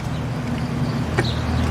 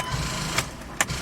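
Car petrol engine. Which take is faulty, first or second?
second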